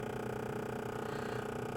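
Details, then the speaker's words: Honda Pilot with 360,000+ miles, bought at auction: fast, steady rattling purr of small plastic gears grinding in the dash as the blend door actuator hunts back and forth, eventually stopping; worn actuator. "That is the actuator grinding the gears, trying to find its way back and forth here."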